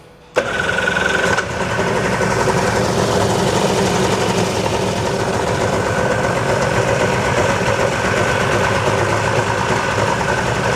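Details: 1996 Sea-Doo XP (110hp two-stroke) that sat 20 years, after a carburetor diaphragm and gasket rebuild with prefilled fuel lines. It catches after a short crank and settles to a steady, even, raspy run with no misses. A rotary valve issue had been feared.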